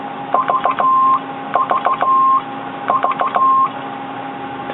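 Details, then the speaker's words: Conar 400 one-tube crystal-oscillator CW transmitter, known as a chirper: keyed tone near 1 kHz in short Morse groups, each note sliding slightly in pitch at key-down; mild transmitter chirp. "Conar 400 has a bit of a reputation as a chirper. Listen to that CW note again."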